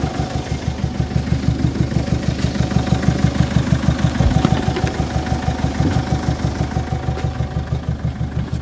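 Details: Peugeot 807 2.0 HDI (RHK) diesel with Siemens injection, strong knock with jumping MAF readings, injectors suspected; steady heavy knocking about three a second over the idle; engine knock, source not yet confirmed.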